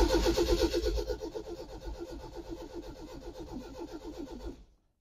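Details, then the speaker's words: 1972 Lotus Europa TC, unrun over a year, battery recharged, plugs cleaned, choke fully out, clutch in: starter cranks evenly several seconds, never fires. Owner suspects no fuel, possibly tank rust in fuel line; mechanical pump ruled out. "absolutely nothing at all so it's obviously not getting fuel um it ran last time perfectly well and that was over a year ago"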